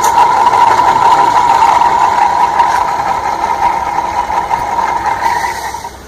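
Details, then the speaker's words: Noisy ceiling fan running before its bearing is replaced: loud steady high-pitched whine with a rough scraping edge, fading as the fan slows; worn fan bearing. "दोस्तों यह क्या feeling pan है और इसका बहुत ज्यादा आवाज हो रही है"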